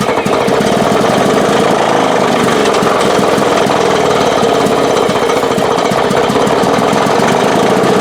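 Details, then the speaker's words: Lawn Boy mower that had no spark, after replacing the failed ignition coil: loud, steady small-engine clatter at even speed with no misses or surging; normal running. "Okay, that was successful. I'm going to go and connect this wire here. We'll put her together and should run now."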